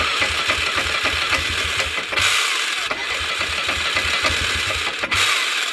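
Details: 1998 Polaris Sportsman 500 4x4: repeated cranking catches briefly and fades, won't idle or rev; owner suspects weak or no spark, later found running fine after unplugging and redoing the new CDI ground.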